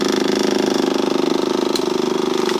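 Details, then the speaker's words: Kawasaki KLF 185 ATV after flushing the fuel pump, cleaning the gas tank and fixing the wiring harness: steady buzzing hum with a quick, even pulse, engine not turning; fuel pump running normally. "You hear that? That's the fuel pump."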